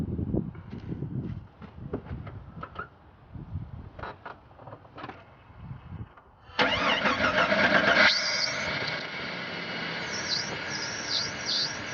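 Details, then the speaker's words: 1996 Jeep Grand Cherokee after replacing power steering pump reservoir, belt reinstalled and fluid added: a few clicks, then on starting a loud, harsh hiss and whine over the idle; sounded bad at start-up but improved after driving. "Okay, it's running good now. It sounded crazy when I started it up. Took it down the road and it started sounding better, and now it's"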